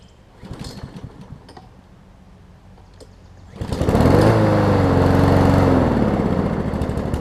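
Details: Troy-Bilt self-propelled mower with a swapped-in Honda engine just after start: note swings up and down for a couple of seconds before settling; brief surging until it catches, engine seemed to run at low rpm.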